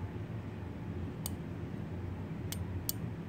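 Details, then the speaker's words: Zippy arcade joystick after flipping the lower restrictor plate: three crisp microswitch clicks over a low room hum, now engaging sooner; a normal, healthy switch action. "now we're gonna see it how how far our joystick is between the the joystick and the wall for a clip hits before you hear the clicking sound"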